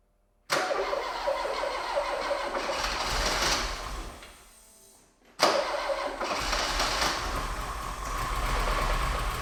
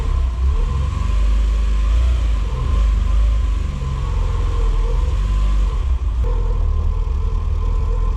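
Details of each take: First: Porsche with a 2.0 Audi engine, first start after a replacement engine was swapped in to fix an engine failure that left it running on two cylinders: cranks and catches twice, uneven chuffing, stumbling idle, dies between starts; it only just runs, rough running. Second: Porsche with a replacement 2.0 Audi engine swapped in after the old engine lost two cylinders; new timing and alternator belts, valve clearances checked, front seal changed. The first start catches to an even idle and revs smoothly to about 5800 rpm with no knocks.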